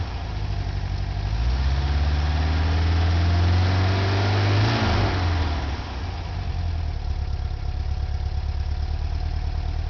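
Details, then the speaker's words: 1976 Volkswagen camper bus air-cooled engine, believed rebuilt around 2006 with under 12,000 miles since, warm; deep even thrum with a short rev blip settling back to a smooth idle; healthy normal idle. "great that sound awesome isn't it"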